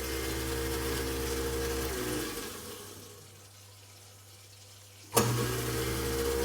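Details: InSinkErator garbage disposal reassembled after a jammed bag was removed. A steady motor hum runs down and stops, then a sharp start and the even low drone returns; it now runs smoothly.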